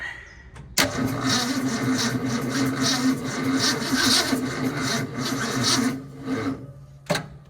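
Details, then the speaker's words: 1966 Ford Mustang with replacement starter, intermittent problem, jump booster connected: starter cranks about six seconds with uneven chugging and no firing; not flooded, not voltage, battery load test planned. Cranking without starting. "I have no idea what the hell is going on. We have the booster on it. It can't be flooded. But yeah, it definitely sounds better, yeah?"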